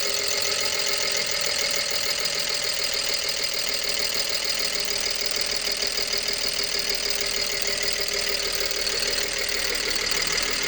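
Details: 2011 BMW 325i N53B30 with new coils, plugs, oil and air filter; it had a cylinder 6 misfire the day before. After a popping air-valve-like switch at around 0:10 it starts a busy, uneven, ticking rough idle, which lasts a few minutes and clears. Cause unknown.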